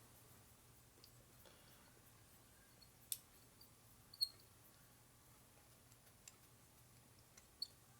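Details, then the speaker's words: Mitutoyo 129-127 0-4 inch depth micrometer: faint, scattered, high chirps as the thimble turns. The dry thimble thread squeaks for lack of light oil; the squeak went away after CRC was applied. "Squeaky. Squeaky's bad. Got a rat in there. Should use a real light oil, but I don't have a real light oil laying around."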